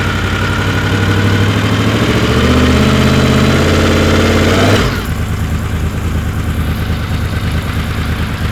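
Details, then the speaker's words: Honda VFR750 with carbs, flat spot at light throttle and higher rpm, after removing wrong O-rings from the slow circuit and opening screws a quarter turn: on the lift, revs snap up cleanly and drop back to a smooth steady idle; throttle response now healthy. "yeah she seems to snap up pretty good on throttle it was rather anemic before even sitting on the lift but I kind of thought it was just the way it was"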